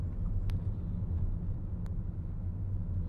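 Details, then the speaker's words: 2011 Volkswagen Jetta after fixing misfire, heard from inside on test drive: low even rumble, no stutter or hesitation, idles nicely, accelerates smoothly. Misfire fixed. "all right so I can pretty much say with confidence that we have fixed this misfire issue it's idling very nicely accelerates smoothly now"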